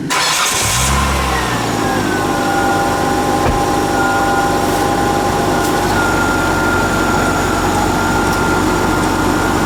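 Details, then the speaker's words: A 2001-06 Hyundai Santa Fe that read 11.6 V running with a failing alternator is started after a new alternator is fitted: a brief crank, an instant catch, then a smooth idle with a faint steady belt whine. It then reads about 13.6 V, a healthy start. "I'm gonna jump inside I'm just gonna crank it a couple of times just to make sure that you know give a full rotation on the belt"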